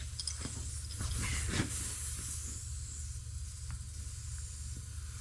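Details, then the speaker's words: Faint intermittent hiss amid handling noise: small air leak at the inner tube's valve stem on the old tractor's blown-out rim; leak stops. "from the valve stem. Hear that? Here, turn the camera. Can you see that? Quits leaking."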